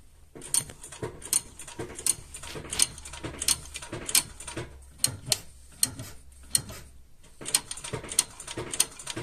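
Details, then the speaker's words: Lada Vesta rear drum brakes after rear pad replacement: sharp clicks in groups, about one every half second, as the handbrake is pumped. The self-adjusters ratchet out normally, and the clicks stop once adjustment is complete. "щелчки уже не слышно у нас уже закончились там нету Это говорит о том что у нас полностью регулировка уже прошла"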